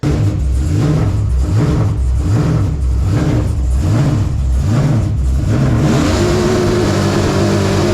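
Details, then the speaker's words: Engine under throttle when the dash screen froze: revs rise and fall unevenly in choppy surges, then settle to a rough steady drone, like a misfire that won't pull cleanly; owner suspects the dash/computer glitch. "I put my glove on hit the throttle and wasn't sounding right so I looked down guess what the dash froze"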